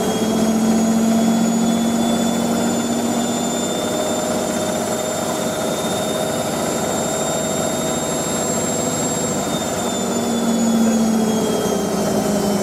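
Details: Hotpoint 9530 Electronic 1000 Plus, Programme 4 50°C coloured synthetics, polyester/cotton load, short spin: a loud, steady whine with high singing tones, no wobble or knocks; normal high-speed spin.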